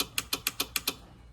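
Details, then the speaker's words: Horn relay in a completely rewired truck with new fuse block and harnesses, clicking seven crisp, even times about seven per second over a quiet background, then silence; horn relay switching normally. "Now you can hear the switch, the relay working. You can hear it working for the horn, too."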